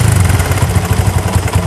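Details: Honda Tiger 2000 single-cylinder motorcycle idling: coarse, rapid ticking clatter over the low thump, heavier than valve tick, from the cylinder block; suspected cam chain rattle, cam chain and tensioner to be checked.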